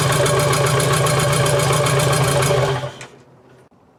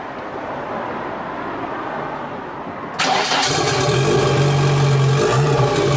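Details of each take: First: BMW 2002 with built M10 turbo engine and E30 M3 S14 parts on first start, loud lumpy fast idle with an uneven pulse before shutoff; misfire caused by spark plug leads three and four swapped, to be changed back. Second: BMW 2002 built M10 turbo engine with E30 M3 S14 parts on first start after swapping crossed plug leads three and four, held at 2000–3000 rpm for cam and rocker break-in; fast, fairly even idle with an occasional slight stumble.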